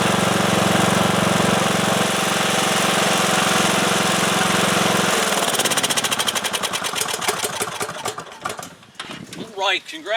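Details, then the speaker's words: Cub Cadet lawn tractor, single-cylinder Kohler Courage engine, after new fuel lines, new fuel filter and fresh gas cleared a tank-side blockage: runs steady and even for several seconds, then shuts down cleanly. "I think that did it it's interesting because our blockage was on the tank side before you get to the uh fuel filter"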